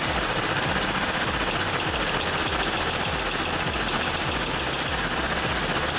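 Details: 2014 Ford Explorer 3.5L, bank 2 cam/crank correlation (P0019) and random/cylinder 4 misfire codes, IDS reading 50, unplugging the oil control valve changes nothing: uneven, stumbling idle with irregular low thumps a few times a second; suspected stuck exhaust cam phaser.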